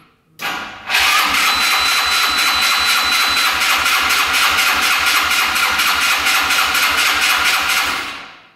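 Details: Yerf-Dog Scout 4x2 UTV, sat outside for years, started on choke: engine catches, runs rough about seven seconds, then fades and stalls from fuel starvation; clogged filters stopped the fuel pump, no gas reaching the carb.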